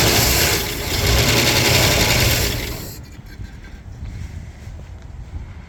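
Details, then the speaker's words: 1958 Oldsmobile barn find, first startup after long storage on a temporary fuel tank: loud even rumble dropping to steadier quieter idle after a few seconds, no misses or knocks; running well. "She's fully running off of our little fuel tank setup. Sounds good."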